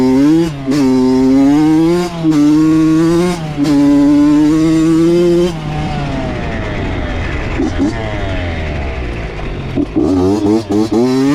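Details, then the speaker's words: Honda CR80 two-stroke with Keihin PWK 28 carb, after replacing an oil-fouled spark plug: crisp revs rise and fall with clean pick-up and no stumble or misfire between blips. Healthy, though possibly lean. "I mean I can tell instantly right away and I'm sure you guys can too with the sound of it so yeah I mean things running good"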